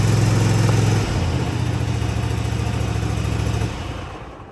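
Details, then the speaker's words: Cub Cadet ZT1 zero-turn mower, first start on choke after replacing the throttle cable and lever: a steady, fairly low drone that never climbs toward full governed speed. The throttle cable needs readjusting. "it does work. However, it's not throttling up as high as it needs to. So I'm gonna come back into here and keep readjusting this a little bit until I get it right."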